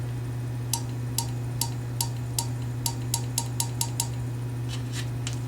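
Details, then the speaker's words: Honeywell gas water heater control valve blinking code 4 (high-temperature shutdown), during the DIY reset with the board connected: sharp dry clicks about twice a second over a low hum are the valve solenoids opening, not the tapping. "That noise is actually the valves inside here opening up. It ain't this tapping on it."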